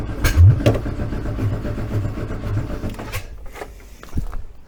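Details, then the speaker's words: VW 1303S Beetle, freshly rebuilt 1915cc engine, first start attempt after install: starter churns about three seconds without catching, then drops away; ignition timing far out, owner suspects wrong firing order. "why do i get the distinct impression i have the firing order wrong i need to check that"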